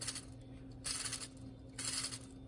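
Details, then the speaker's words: 2010 Mercedes GLK 350 with drive belt removed, idler and belt tensioner pulleys spun by hand give short gritty metallic rattling bursts from worn bearings, before replacement. "belt tensioners down here you can hear my mind my bearings are out"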